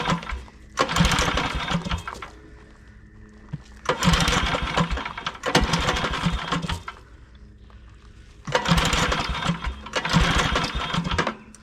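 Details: 1982 Snapper Comet riding mower, 8HP Tecumseh electric start, estate-sale find, dead battery: three long starter cranking bursts with quiet gaps, never catches; spark present.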